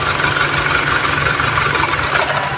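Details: Hyundai Tucson petrol engine idles roughly with strong vibration on a lumpy, uneven beat during a cylinder drop test, ignition coils pulled one at a time; cylinder four is dead, with oil found at that coil.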